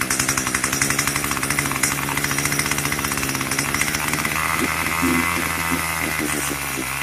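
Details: Craftsman 25cc two-stroke string trimmer, found roadside and would only fire on starter fluid, after a carburetor tune: fast even buzzing exhaust pulses with a sharp steady high rasp, no stumbling or surging; running clean.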